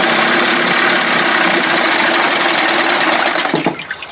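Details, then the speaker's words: 1989 Johnson Tracker 25 hp two-stroke outboard, first start, carb mixture screw opened from 1.5 to 2 turns: runs fairly steady then wavers and drops unevenly, surging; owner suspects fuel starvation from hose routing straight up from tank, unconfirmed. "sound like it's surged a little bit yeah it's empty again"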